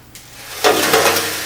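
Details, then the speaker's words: 1966 Ford Mustang fuel tank, dried after sitting years, shaken by hand: dry gritty rattle and swish of loose rust flakes, float also audible; rust flakes rattling inside fuel tank, tank being replaced. "here all that crud loose crud that's all rust flakes that flaked off the inside of the tank and there's nothing I I can do to treat it so it'll stop that it's just going to continue"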